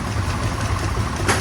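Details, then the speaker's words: 2007 Toyota Tundra 5.7 V8 idling with uneven stumbling rumble, misfires in cylinders 2, 3, 4, 5 and 6 (P0300); new spark plugs didn't help; clogged, damaged catalytic converters found, replacement fixed it. "okay guys I got a 2007 Toyota Tundra uh 5.7 um you know I got this misfire right here the misfire is in cylinder 2 4 3 five and six"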